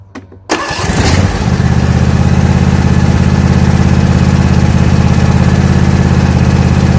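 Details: John Deere E180 mower, warm engine just after first oil change at 31.5 hours: cranks briefly, catches within a second, settles into a smooth steady low idle with even thump; running normally.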